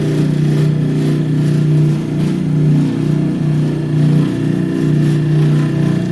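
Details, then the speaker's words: Bryant/Carrier package AC unit jumped into cool mode: a low droning hum swelling and fading about every 1.5 seconds from the blower motor itself, not the belt or frame; motor spins free without slop, bearing suspected. "There's a definite noise coming out of that motor. The frame's not loose."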